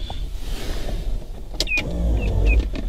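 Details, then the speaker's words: Mazda RX-7 FC3S 13B during Haltech Elite 1500 install, no key in ignition, on connecting the battery: short electric whirring with rising chirps over a low hum as the headlights come on unexpectedly; cause unknown. "the headlights just turned on and you can hear that and that shouldn't be able to happen without an accessory mode at least"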